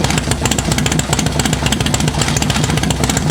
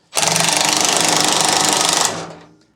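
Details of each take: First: Rubber-mount Sportster chopper with 1250 build, heat cycle during break-in, accidentally left in fifth gear: loud choppy V-twin bark holding fairly steady revs about ten seconds, no knocking or rattling; fresh top end runs fine. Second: Rubber-mount Harley Sportster 1250 chopper, about halfway through break-in: harsh fast buzzing rattle from the front cylinder for two seconds, then dies away; owner suspects it could be timing related, cause not confirmed.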